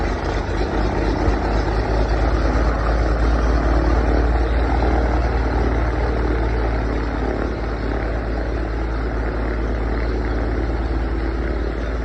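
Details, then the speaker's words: 1979 Beechcraft Baron B55 piston engine running on its own power for the first time in 14 years; steady, even propeller drone with a smooth low throb, no misses or stumbles. "First time in 14 years it's fired on its own power."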